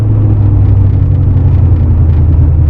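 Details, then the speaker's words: 1985 Porsche 928S V8 idling high at about 1100 rpm with a deep steady rumble because the throttle cable sticks; tapping it drops the idle to normal, and cable replacement is planned. "and it's just idling high it's at 1100 RPM I tap it and it drops right down to where it should be while the fuel injectors are out I plan to replace the throttle cable that's sticking"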